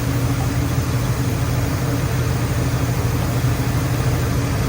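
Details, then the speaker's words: Old crew cab Buick wagon on fresh gas, after power brake system swapped for a vacuum booster: steady, even low idle rumble with no knocks or misses, running smoothly. "Hot rods. Everybody loves that sound, don't we? Definitely likes that fresh gas."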